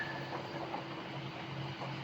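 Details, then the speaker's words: Ford 6.0 diesel truck, after replacing the injector harness and glow plug module, cylinder 3 still faulty: low drone drops out unevenly under gentle acceleration, a dead miss, smoothing again at idle. "See, I can hear the dead miss when I slowly accelerate."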